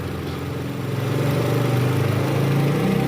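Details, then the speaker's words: 2012 Toyota Camry 2.5 V, 2AR 2500cc, 106,000 km, in reverse after balancer shaft replacement and service: low, even hum rising slightly with throttle, no rattle or knock; the earlier tek-tek from the oil pan area is gone. "Oke Guys sekarang suara mesinnya jauh lebih halus ya dibanding awal sebelum kita ganti balancer Sharp tadi"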